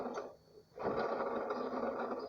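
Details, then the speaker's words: Ford EcoSport Zetec Rocam engine running: a thin, steady high-pitched whine from a worn alternator bearing; the belt tensioners and idler bearing are also noisy and need replacing. "alternador tá fazendo barulho no rolamento."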